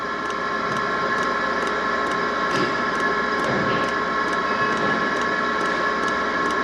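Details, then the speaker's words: Diesel heater in a camper van, dosing pump pulling fuel up an air-filled line being bled: sharp, even ticks roughly twice a second over a steady fan hum while fuel rises toward the heater; fuel pump ticking while priming. "I don't know if you could see it there's definitely fuel going up the line should appear here soon"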